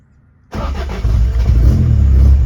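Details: 1971 Toyota Celica RA20, 18RG on twin Weber 40 DCOE carbs, long stored, plugs and wires just refitted, cold start with no choke connected: deep lumpy rumble, picks up sharply then runs slightly uneven; no smoke, owner sees no head-gasket bubbling; carbs still untuned.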